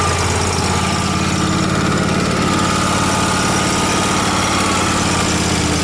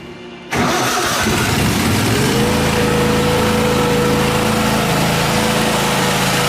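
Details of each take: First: Miller Trailblazer welder, carbureted with a crankcase-vacuum fuel pump: uneven, hunting idle with a ragged rumble that is fine when choked; it runs lean from too much air. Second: Miller Trailblazer welder engine after repair, test run before welding: catches after a short crank, then climbs smoothly to a steady, even speed with a constant hum; running normally, 120 V outputs also checked working.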